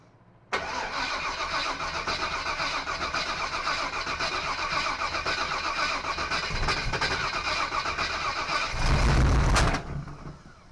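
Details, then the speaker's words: Small block Chevy 350 V8 in a 1955 Willys wagon, first start attempt; starter cranks steadily about nine seconds with regular chug but never catches. No fuel reaching the carburetor; owner suspects fuel pump, considers priming line. "kind of thinking it might be the fuel pump. I don't know. Um, but she's not getting gas."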